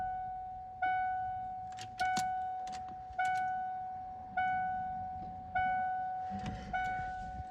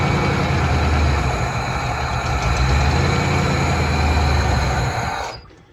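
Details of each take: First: 1988 Ford F-250 fuel-injected, sitting over a decade, fresh 5 gallons of fuel, battery possibly weak: door chime pinging, then long crank with dull rumble and no pickup; owner suspects bad fuel clogging injectors. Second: 1988 Ford F-250 EFI, sat over a decade, started by pouring fuel into intake: low even rumble, steady firing, no knocks or rattles for about five seconds, then shuts off cleanly; normal running.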